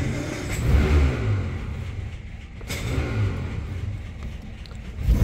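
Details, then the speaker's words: 1949 Armstrong Siddeley Lancaster, first start in a year on a hot day: uneven low chuffs that catch, fade and pick up; engine firing irregularly, struggling to keep running before it runs. "okay so as I expected she's not starting straight away struggling I obviously don't want to flood it we're getting somewhere"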